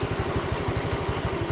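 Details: Honda Vario scooter after repair (history of five piston replacements and a connecting-rod replacement; injection, engine and CVT work done): even, quick putter about twelve pulses a second, no rattle or stumble; CVT now quiet, a clean, healthy idle.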